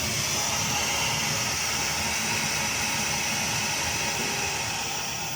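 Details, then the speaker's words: Remeha Gas 210 Eco Pro 120 boiler during flue gas analysis, switched from low to high fire (H3): fan ramping up into a steady high-pitched rushing air hiss with no rattles or scraping; normal high-fire fan run. "If I press here, H3 goes to high fire. Not sure if you can hear that ramping up."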